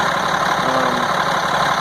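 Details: 1998 GMC C8500, Caterpillar 3116E diesel, after injector O-ring replacement, running with valve cover off, about 900 psi shown at start; steady even diesel clatter at idle, no misses, knocks or surging; engine running properly.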